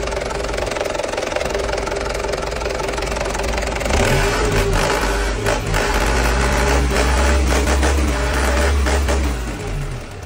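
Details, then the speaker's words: Diesel engine after a fuel filter change and bleeding, with air purged and solid fuel flowing: it settles into an even, steady, smooth low idle with no stumbles; normal healthy running. "Pag hangin ay nakalabas na, ibig sabihin, fuel ay solido na. Kaya dito yung maririnig mo na ang pinong-pinong andar at ang ganda ng tunog ng makina."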